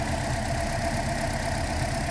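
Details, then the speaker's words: 2012 Toyota Corolla, running rough, P0300 with no cylinder code, unplugging coils at idle: uneven lumpy idle with irregular stumble; RPM change at coil 3, none at 4; failing ignition coil misfire. "sorry I got RPM change and it almost lost us talk back to number four no change"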